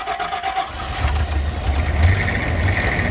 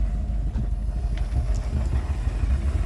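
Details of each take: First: Rolls-Royce Silver Shadow II V8, revived after years in a field, started on fresh fuel: runs unevenly on a held throttle and stumbles when released. It still won't idle; dirty carburettors with a sticking needle are blamed, and HT leads may need changing. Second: Rolls-Royce Silver Shadow II, revived after years in a field, after spark plug replacement: low, soft steady rumble with no stumbling. Idling normally on its own; a belt issue remains.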